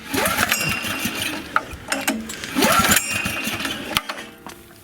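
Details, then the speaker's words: Honda EG2200X 2.2 kVA generator, possibly 1980s–early 90s, fuel on and choked: several recoil pulls whir the engine over in short bursts but it never fires; a no-start, cause not yet found. "It has 2 shutoffs for some reason. That one I think is in the on position. But it's not starting."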